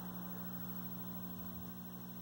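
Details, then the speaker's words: 1973 Admiral SK2247 12-inch hybrid colour TV under repair: a loud, steady low hum of constant pitch comes through the speaker. Mains hum, with a failing filter in the supply suspected. "hum is still pretty loud you can hear it through the speaker it's just loud so there's some filter that's opening"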